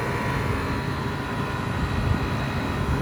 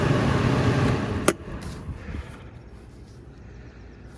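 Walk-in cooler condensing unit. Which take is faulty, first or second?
second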